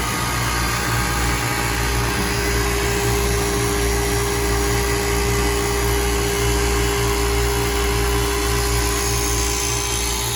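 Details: Old KKT chiller running normally after contactor replacement: steady, even compressor hum with constant fan whoosh, no knocks or rattles.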